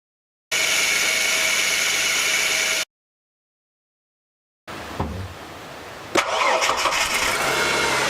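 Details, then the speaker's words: Ford BA Falcon after its noisy worn top idler pulley on the serpentine belt was replaced: the engine fires after a short crank and runs evenly, much quieter, with no squeal or chirp from the belt. Quiet belt drive after repair. "oh yeah definitely notice straightaway the difference in the sound much quieter again like it should be"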